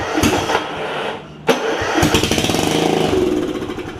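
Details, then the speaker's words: John Deere RX75 riding mower with a swapped-in 9hp Kawasaki engine, no muffler yet, with starting spray and just enough oil: it cranks, catches, then a hard, rapid, raw popping beat at fast idle, very loud and open. Engine running without muffler. "obviously no Muffler yet so that's why we're not going anywhere but that's awesome"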